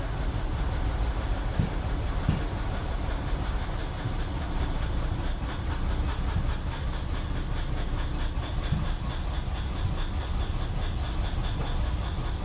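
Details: 2003 BMW 745Li E66 after all spark plugs and ignition coils were changed, with camshaft position sensor codes and fuel cutoff on cylinders 8, 3, 7, 6 and 4: a heavy, uneven throb with stumbles and dropouts, then it dies. Multiple-cylinder misfire.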